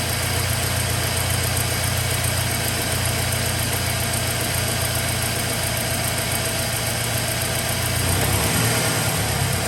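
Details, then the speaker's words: 2007 Chevrolet Silverado V8 after AFM/DOD delete kit install, once lifters have pumped up with oil pressure: steady idle with light, even valvetrain patter and no loud clatter, running normally. "But I'll insert the clip once it actually started and got past that, initial build up of pressure inside of all those lifters, the sound went away."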